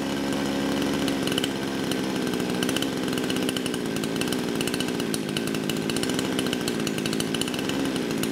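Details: Kraftworld KW-5800 58cc Chinese two-stroke chainsaw, low compression after being run on straight fuel; throttle at idle, low-speed jet two turns out, it burbles at a fast uneven idle and won't climb in revs off choke; 1–3 turns of tuning made no difference.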